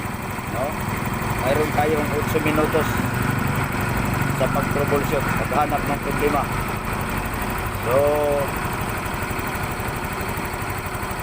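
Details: Yamaha Mio i 125 scooter after a crank-but-no-start repair where the spark plug and its gap were checked: even low putter at idle, steady without stumbling or dying, voices in background; now starts and idles fine.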